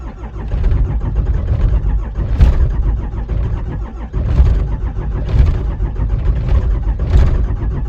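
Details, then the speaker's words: 5.9 Cummins diesel at 12–13°F, coolant 14°, two 5-year-old batteries, anti-gel fuel, no block heater or grid, throttle untouched: slow labored cranking with firing bursts that don't catch; hard cold start. "It's 13 degrees. Excuse me. It is 12 degrees. Let's try it. Whoa, it did not like that."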